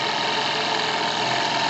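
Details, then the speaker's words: Single-acting twin-cylinder model steam speed engine on workshop boiler: fast, even hiss of exhaust beats too quick to count, no knocks or stumbles; runs smoothly at speed. "Écoutez le bruit plutôt que regardez les images. Mais vous entendez que ça bouge vite."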